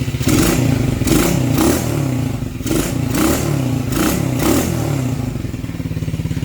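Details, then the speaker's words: Unknown Chinese pit bike sold as a Honda CRF50 with 110 big-bore kit, sat for years, carb and main jet serviced, kick-started on choke; settles into a putting idle and revs cleanly on throttle blips. "Chinese muscle baby all right boys she runs"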